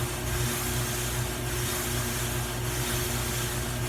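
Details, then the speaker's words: GE front-load dryer after repair kit install (drive belt, upper bearing, four drum glides): steady low drone with a soft rubbing swish swelling about once per drum turn, pinpointed to the glides the drum rides on, not the belt or motor; drum rubbing noise. "sure enough this noise is not coming from the belt it's not coming from the motor housing down there i can pinpoint it too these slides the glide bearings okay call them but the surface that the drum actually rides on and that noise is louder than i"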